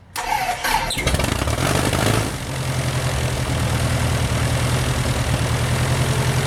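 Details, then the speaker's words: Titan IO-340 180 hp in RANS S21, first start, second attempt, throttle quarter open, idle stop all the way down: brief crank, catches and holds a steady but fast idle that stays high; idle adjustment needed. "Yeah, idle was all the way down. >> Okay. So, your up high. >> So, I think we need an idle adjustment."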